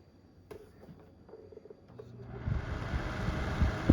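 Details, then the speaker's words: Secondhand Vornado Flippi V10 personal fan from Goodwill, first run on high: a brief click, then a steady, even rush of air, slightly noisy from the guard design and hollow plastic but no rattles, ticks or scraping; healthy fan. "it works it's a little bit noisy but it's not making any crazy songs or anything like there would be an issue"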